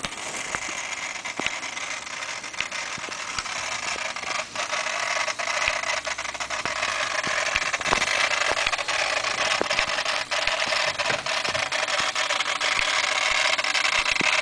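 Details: 1992 Mitsubishi 3000GT VR-4 with 70k miles, unused for 5 years: with ignition on before engine start, a hissy buzz and uneven clicking from the ECU due to leaked capacitors. Replacing the capacitors made the noise disappear.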